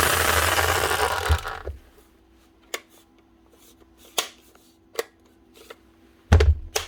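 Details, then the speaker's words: Rotary hammer runs rough, spluttering and sparking for under two seconds; sounds like worn brushes, but the armature is burnt and the gears click from broken teeth, a total loss. "splotter and sparking I know it sounds like there could be brushes gone but that Armature is actually gone to on top of that you can hear the gears clicking away up in there"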